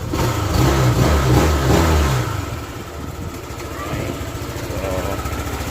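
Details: Honda Click 150 with a hard start and loss of compression, rebuilt after a broken valve: after a brief rev the engine settles into a steady, even idle with no misses or knocks; runs nicely now.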